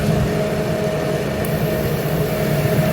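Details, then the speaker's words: Master kerosene torpedo heater after E1 error fix, on rewired switched fan, igniter and fuel circuits, pump pressure set; smooth steady roar with constant fan and pump hum, no sputtering or cutting out; lit and running properly. "nighter fuel Perfect all right that makes me happy check out the end down here good"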